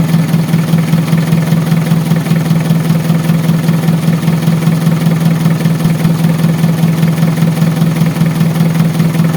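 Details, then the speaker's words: Mitsubishi Adventure diesel after repairing hard start and misfire caused by air entering through a fuel pump leak: starts on one click, steady even idle with regular low thrum, no misses or knocks; normal idle. "So ngayon pakita ko sa inyo ha. One click lang yung start. Back to normal na naman tayo."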